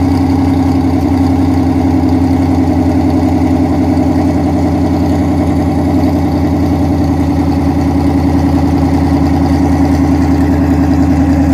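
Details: 2010 Dodge Charger Pursuit police car, first start after Texas Speed stage 2 cam install, exhaust not yet fitted: loud lopey V8 idle sitting a little high, choppy cam pulse, previous tick gone, engine light on; healthy.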